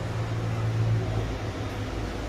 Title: Abnormal sound of a compressor